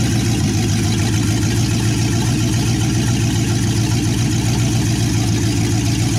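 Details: 1963 Chevy C10 355ci V8 (350 bored .030 over), reportedly low miles, sat for years, now on its second firing: loud, deep burble at steady idle through open manifolds, even with no misses or knocks. Normal idle.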